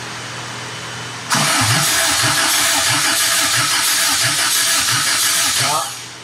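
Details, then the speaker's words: 1972 Toyota Celica with 18RG twin-cam swap, compression test: steady even cranking about four seconds without firing; one cylinder read about 40 psi, traced to a valve held open by a piece of wire. "She got about 40(PSI) So we're going to pull off this valve cover. This one has 100 more than one. Yeah. Yeah, That's not good."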